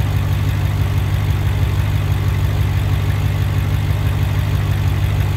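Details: BMW 650i F06 N63TU after high-pressure fuel pump upgrade with new gasket and harness, first start checking for leaks: steady low idle rumble, even pulse near ninety per minute, no knocks or misses.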